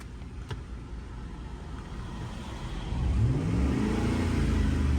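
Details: Ford F-150 truck with 5.4L V8, misfire on cylinder 8 in bank 2 during scanner balance test: revs never settle, rough stumbling uneven beat, with loss of power, heavy shaking and raw fuel smell from exhaust. Cylinder misfire.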